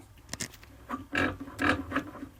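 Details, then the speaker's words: Classic VW shift rod nudged by hand: sharp, uneven metal ticks. The bushing is worn, so the rod strikes its hanger metal against metal, ahead of removal and installation of a new Delrin bushing. "But you can see that hanger. It's just metal against metal."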